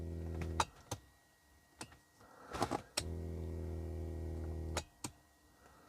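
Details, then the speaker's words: Rolls-Royce Silver Spirit III passenger seat, ignition on: two bursts of steady low electric hum with switch clicks between, the lumbar air pump inflating the seat sides and back; the lumbar pump operates normally. "So they're like a little air pump that pumps up the sides and the back of the seat for the lumbar. So yeah, they're still working."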